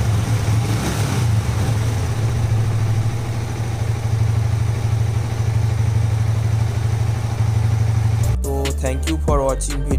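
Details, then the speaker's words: Yamaha MT-15 single at idle after repair of an engine noise blamed on an oil circulation problem (third attempt): even, low steady beat with no ticking or rattle; engine now sounds like new, normal idle. "आप एक बार bike की आवाज़ सुनना। का आवाज एकदम सही है। जितना नया उतना अच्छा गया। और इसमें कोई समस्या? नहीं।"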